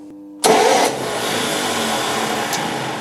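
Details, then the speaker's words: 1958 GMC Apache pickup, compression test on cylinder 5: sharp rough crunch as the starter engages, then steady cranking; owner thinks a new flywheel or flex plate is needed. "Well, I think a new flywheel is definitely, or a new flex plate is definitely on the cards."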